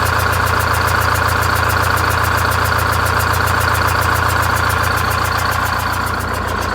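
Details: Greyhound Scenicruiser vintage bus diesel with automatic transmission, fan off, idling on 7 cylinders after the bad cylinder was bypassed: steady, loud idle with a lumpy beat around two per second from the dead cylinder; new exhaust and welded muffler fitted.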